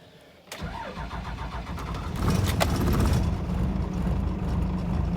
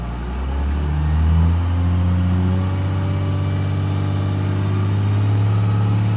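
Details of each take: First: 1997 Dodge Ram 3500 5.9 12-valve Cummins, started at about 42°F after sitting a few hours: brief crank, then it runs rough, not on all six, before steadying. Hard start; the lift/transfer pump was later replaced. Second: 1997 Dodge Ram 3500, 5.9 12-valve Cummins, about 42°F, after lift/transfer pump replacement for hard starting: steady, smooth diesel clatter rising with a rev to about 2500 rpm at no load, then settling. Fuel pressure normal; repair successful.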